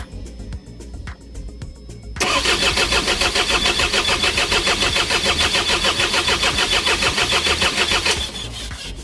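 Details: Isuzu 4HG1 diesel with defective supply pump module: starter turns the engine over at about three and a half beats a second for six seconds but it never fires; crank, no start.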